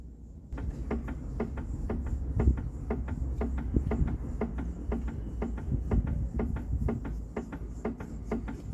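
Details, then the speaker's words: VW (Polo/Gol family) parked, body rocked by the pillar: quiet, evenly spaced light clunks about three per second from play in the front link; worn stabilizer link (bieleta) causing suspension knock. "agora eu vou mostrar para vocês o barulho que ela faz aqui na minha mão com a folga é menor porque a força aqui também é menor mas dá para perceber aqui a folga"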